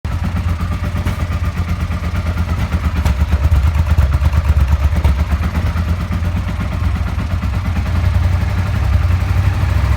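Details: Suzuki SV650 V-twin: low, rough running with a repeated hollow knock of nearly three a second inside the clatter, knocking from worn bearing shells.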